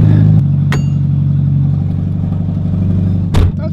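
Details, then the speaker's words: 1994 Miata just after new clutch install, running open downpipes because the header is too janky: very loud, deep, raspy unmuffled engine rumble with sharp blips on revving. "let's check out this new clutch let's let's try this out oh my God that's [Music] loud this is so bad this is so bad"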